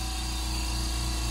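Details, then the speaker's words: New California Air Tools air compressor, first crank with air filters fitted: steady quiet hum with smooth low drone, no knocks, rattles or surges; running normally. "she is ready for her first crank so let's listen to how quiet it is"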